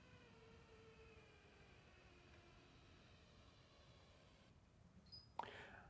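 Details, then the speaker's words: Edelkrone Slider Plus with Motion Kit running at 100% speed from B to A while tracking a target, microphone leaned close: quiet thin whine drifting in pitch from the head unit's drive motors, not silent as advertised; much quieter when those motors aren't running. "the other issue is it's not silent like they say on their website these motors make noise"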